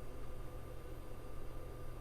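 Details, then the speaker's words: Sony PlayStation 2 being tested, left disc drive after a spin-up, spin-down cycle: steady low buzz with a faint thin tone and no spin-up or seeking, buzzing without reading, judged not working. "I can hear it I can feel it buzzing but I don't think it's going to work so that's going to be a no on the left one"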